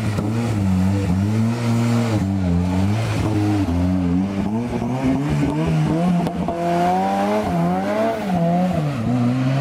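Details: Escort Cosworth turbo race car after its misfire was fixed, spark plugs mentioned. The engine revs up and down smoothly with no stutter or cut-outs. Clean revving without misfire.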